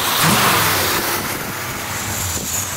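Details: V8 in a Dodge Challenger pace car being converted to EZ-EFI self-tuning injection. A quick throttle blip rises and settles back cleanly with no miss or stumble: revs freely and healthy.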